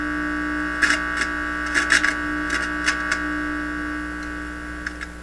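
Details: Heathkit IT-12 signal tracer, donated unit on checkout, volume turned up with only the probe connected: constant low electrical hum with a faint buzz through its speaker, plus a few handling clicks. Mains hum; the unit appears to work.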